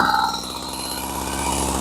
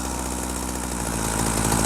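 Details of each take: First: Husqvarna 40 chainsaw, two-stroke, during idle screw adjustment; buzzes at fast steady idle well above normal tick-over, idle set too high so chain would keep spinning. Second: Husqvarna 40 chainsaw, after adjusting the idle screw down from too fast: slow, steady two-stroke burble with no racing or hunting, low enough that the chain stays still; idle is set right.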